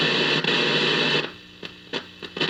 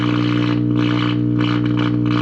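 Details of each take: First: 1951 General Electric model 404 six-tube radio after replacing two filter capacitors, no external antenna: steady hiss with stations swelling in and out as the dial moves, receiving properly: normal reception. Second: 1951 General Electric model 404 tube radio, all tubes lit, trying to tune a station: loud steady low mains hum with rough hiss pulsing over it and the station mixing in, from bad filter capacitors.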